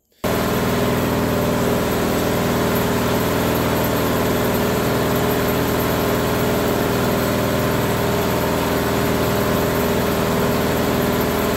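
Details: Bobcat skid steer with Harbor Freight Predator 670 22 hp engine swap, on old exhaust with paint curing off; steady even idle, constant low drone, no misses or knocks; normal idle, starts and runs, smoke improving.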